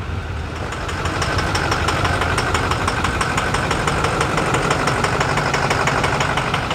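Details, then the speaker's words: 2022 Ford 6.7 diesel pickup, cold and not allowed to warm up during blow-by testing: loud, slightly uneven clatter about three beats a second; rough idle, cause not yet clear. "we've decided we're not going to let that warm itself up cuz I it don't sound good"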